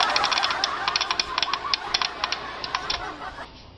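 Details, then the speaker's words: AV-602A amplifier with relay driver problem at power-up: fast uneven clicking of the two speaker relays, about three a second, then stops; relays themselves not faulty, only reacting to the driver circuit. "Ang relay ang nag ah may kaengkwentro diyan. Yan. So may gea talaga sa loob."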